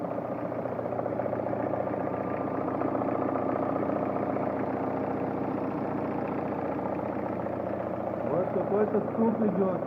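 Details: Toyota Vista with a 2CT diesel at idle: steady idle with a repeating knock of about three or four beats a second, seemingly from somewhere up top; the source is still unlocated.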